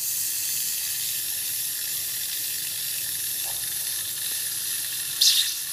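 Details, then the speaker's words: Faucet after installing a Watts 500800 hot water recirculation pump: steady hissing flow with a brief spitting burst near the end as air still purges from the hot lines before flow evens out; air in water lines. "And so we'll wait until it starts coming out without any air."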